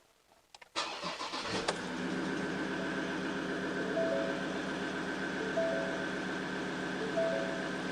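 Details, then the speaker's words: 2017 Ford Ranger 3.2 L diesel just after fuel filter replacement and priming; cranks briefly, catches cleanly and settles into a steady, even idle with no hesitation or stumbling; fuel system primed, no leaks, running normally. "so let it run for a little while make sure that it doesn't hesitate and stall bring up the revs a little bit through the Rev range and you should be right"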